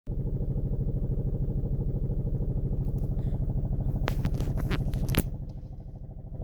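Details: Seat Toledo at idle: regular rattling beat about three per second over the engine; failed engine mount, problem solved.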